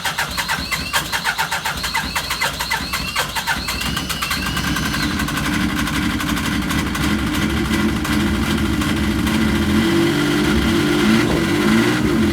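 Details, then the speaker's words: Yamaha RS Viking snowmobile after a carb clean, warmed up indoors: it cranks a few seconds, catches cleanly and settles into a smooth, even idle with no misfire or hunting. This is a normal, healthy start and idle. "Perfect. That's what it should sound like. None of this when you fire it up."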